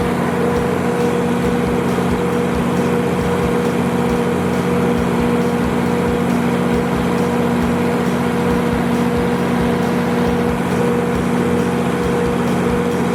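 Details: Used 175 kW Kohler generator with a John Deere diesel engine, fully serviced in June 2017 with new oil and filters and a refurbished radiator. It runs with a steady, even diesel drone, no knocks or surging, healthy.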